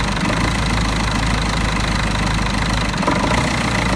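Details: Mercedes OM646 diesel, cold: idles unevenly with a loose knocking rumble that never settles; faulty EGR valve causing rough idle only until coolant reaches 60°C.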